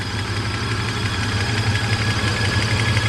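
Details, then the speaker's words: Mercedes SL600 long-sitting car after throttle body and Egas repair, at idle: faint rapid chirping tick over the engine note from a noisy pulley; pulley noise at idle. "My pulley is making the noise too. Poor car. It's been sitting for so long."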